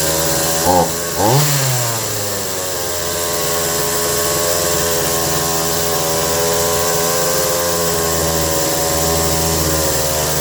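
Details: Stihl MS 180 chainsaw after a carb rebuild, fixing a fault where it idled way too fast when dropping out of throttle lock; two quick pulls, then a steady buzzing idle for ten seconds without stalling or racing; normal idle.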